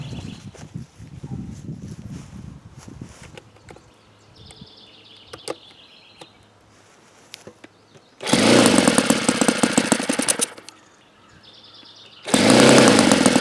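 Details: Saito FA-82a four-stroke model engine, very low hours and not fully broken in: loud full-throttle bursts waver and won't settle near peak RPM, leading to a break-in run alternating rich and lean settings; unstable near peak RPM.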